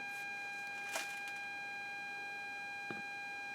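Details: 1963 INTER Kenya transistor radio under repair: an 800-cycle test tone injected at the detector diode plays as a clean steady high whistle, and the volume potentiometer regulates it properly through the audio stage.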